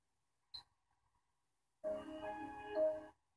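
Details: Samsung LN37A550P3F 37-inch LCD TV (2008): a click, then a short chiming startup chord as it tries to boot; repeated restart cycles with wrong colors and no sound, fault on main board.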